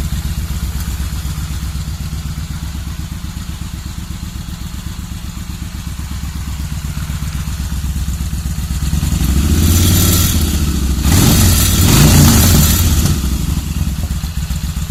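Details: Kawasaki VN1500 first firing after rebuild: deep, lumpy V-twin idle at about four beats a second, a couple of revs around ten seconds in, then drops back to an even idle.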